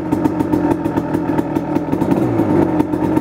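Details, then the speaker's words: 1999 Kawasaki KX250 Splitfire two-stroke, first start after full rebuild, fired in 3 kicks, warming up from cold; crisp even ring-ding at a steady, slightly fast idle with no knock or misfire; normal two-stroke idle. "First start. Really, really happy that it fired over in literally 3 kicks."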